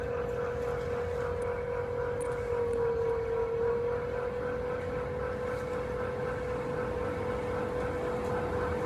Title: 【FUJITSU】⚠️（音声注意 voice note）⚠️ 異音がする 富士通 ルームエアコン 室外機 FUJITSU outdoor unit making noise